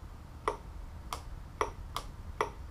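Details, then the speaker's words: 2004 Chevy Impala LS EVAP vent valve bench-tested on 12 V from a jump box while chasing code P0455 (large evap leak); crisp clicks in three on-off pairs as power switches, the solenoid engaging and releasing properly. "probably can hear that engaging we can check it with a little air"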